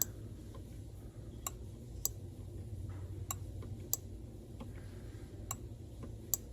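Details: Replacement five-pin solid-state fuel pump relay for a 1979 Porsche 930, bench-powered from a supply: sharp, crisp clicks every half-second to second and a half over a low hum. The relay switches normally when powered.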